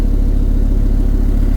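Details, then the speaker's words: V10 dually truck after throttle body cleaning and new air filter, warmed up after restart misfire: steady even low rumble with regular firing beat and no stumbles; normal smooth idle. "Lots better. Much more better. More betters. There we go."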